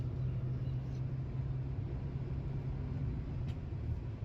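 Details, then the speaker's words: Toyota Etios Liva with a complaint of engine noise while running, no pickup and an oil light that glowed intermittently; oil found low. On the road test drive after a fresh oil fill, it makes a steady, even rumble with no knocks; problem solved, pickup good. "చూడండి friends vehicle పోతా ఉంది road మీద friends problem solve అయిపోయింది friends. Pickup అన్ని బాగా ఉంది friends"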